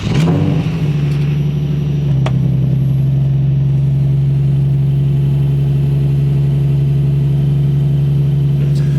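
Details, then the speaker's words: 2004 Nissan 350Z cold start at 36°F after tightening the belt tensioners: engine settles to a steady even idle with no belt squeal; squeal had come from loose, recently replaced belts in cold weather. "it already would have been squealing so now I can definitely confirm that to get rid of that squealing noise if that's happening I guess in particular during cold weather"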